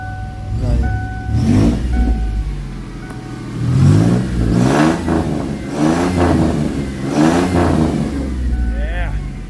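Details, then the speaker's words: 1996 Ford Mustang V8 with dual exhaust swapped from a 1997: deep rumble climbing and falling through several clean throttle blips, smooth pull each time, no misses or rattles; healthy engine, sounds good. "that sounds good."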